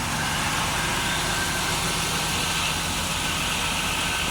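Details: 2004 Buick LeSabre 3.8 V6 after replacing a failed ignition control module that caused a P0300 misfire: idles smoothly and evenly with no stumble.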